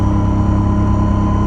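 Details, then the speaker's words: Bus on a test drive with an Allison V730 transmission: steady high whine over the deep diesel drone that changes with engine speed, not road speed, loudest at the rear; transmission suspected, power steering lines also suspect. "as the engine speed goes up it's changing it's definitely related to engine speed not"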